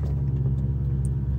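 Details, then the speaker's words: Infiniti M56 V8, in cabin with everything else off: steady low droning buzz at idle near 1000 rpm; owner attributes it to active noise cancellation through the speakers. "you might think that you're hearing a buzzing noise and you would be right there is a buzzing noise in here"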